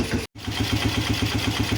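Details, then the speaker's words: Polaris Phoenix 200cc quad after carburetor jet cleaning and new battery, brake on: steady even single-cylinder putt about seven firings a second, no misses or knocks; idle bumped up and now idling great. "She's idling great."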